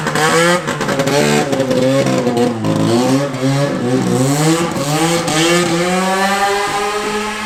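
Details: Vintage Yamaha two-stroke snowmobile revving crisp and clean with throttle, no misses, small exhaust leak up front noted; healthy running engine.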